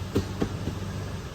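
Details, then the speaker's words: Late-model Toyota Tacoma idling in gear under load with the foot on the brake: low rumble with sharp tinny rattles from underneath the vehicle. Possibly exhaust-related. "if it's underneath the vehicle that sounds like it might be exhaust"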